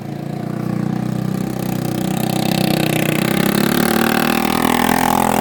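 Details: 1980 Honda XL250S single on a test ride after the bad-fuel problem was fixed. Pulls cleanly, with the exhaust note climbing smoothly and evenly with revs, no misfire or stumble; runs healthy.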